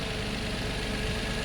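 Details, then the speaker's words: Nissan Maxima 3.5 after a timing chain job replacing completely worn chain guides: steady, even idle hum with no chain rattle or slap. The engine runs smoothly, much better than before repair. "timing chain job sounds better than it sounded when it came in here trust me"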